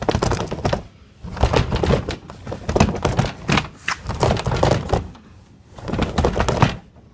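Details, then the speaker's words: Sliding glass door rolling on bottom track bent wavy by a damaged wheel: heavy irregular thunks in bursts instead of smooth glide; door bounces on damaged track. "it sounds a very wavy pattern and I once like at the door just wants to bounce instead of roll smoothly"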